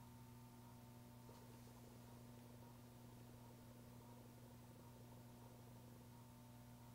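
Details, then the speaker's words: Panasonic HVX200P camera: faint steady low hum with a soft purr under room hiss while the lens autofocus hunts for a close object, stopping once focus is found. "if i hold something closer to the to the camera and and it's auto focusing you can hear a little bit of a a sound kind of a lower sound when it's focusing on something"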